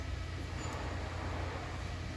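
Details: 2022 Wildwood Grand Lodge 42FLDL travel trailer power awning retracting, arms fully extended, fabric rolling over the tube: an even low drone, unbroken, with no clicks, grinding or stalls. Normal awning motor operation.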